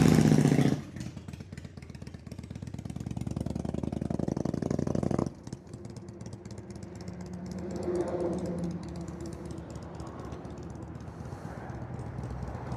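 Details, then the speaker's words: 1993 Harley-Davidson FXDWG Evo V-twin after carburetor cleaning and adjustment, started in the shop before a road test: cranks, catches and settles into a steady loping idle with no knocks or misses; normal start and idle. "Sounds good. Sounds real good."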